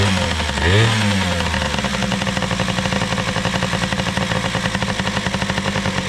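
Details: Small two-stroke engine after carburetor work (OEM Mikuni carb reassembled); quick blip then steady crisp idle with even popping and no stumbling, idle possibly a bit high: normal running.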